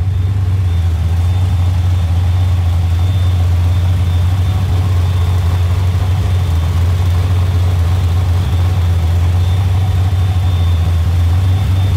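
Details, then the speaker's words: 347 turbo V8 being tuned, idling around 900–1,000 rpm, about 100 rpm high: deep steady idle with a thin constant high whistle from the idle air control valve; stopping the whistle makes the idle bounce. "So the whistle that you hear is gonna be the idle air control. I can make it stop whistling, but then it wants to kind of bounce."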